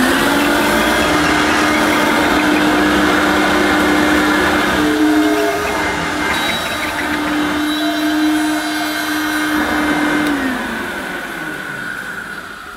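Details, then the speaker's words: Hoover U1222 Turbopower Plus upright vacuum: steady mid-pitched squeal over the motor hum, dropping away as it slows; owner blames a broken belt, motor bearings sound dry. "ed okay to start with but then it started making a bit of a squealing noise didn't it"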